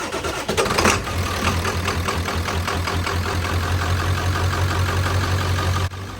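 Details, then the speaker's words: Ford 7.3 Powerstroke diesel with weak batteries, cold weather, started after block heater and three or four glow plug cycles: catches right away and settles into a steady, deep, even idle with no misses or knocks, a clean cold start. "After it fires up and smooths out, then you can let it idle and warm up. Don't rev it hard when it's ice cold."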